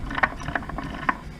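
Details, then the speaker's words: SM465 truck transmission on the bench, top off, spun slowly by hand in first: uneven ratcheting clacks and gear rattle; owner suspects the shift went too far and hit the reverse gear, which may be chewed from grinding into reverse while moving. "It's kind of noisy. Maybe I got that too far though, because it looks like it is hitting the reverse."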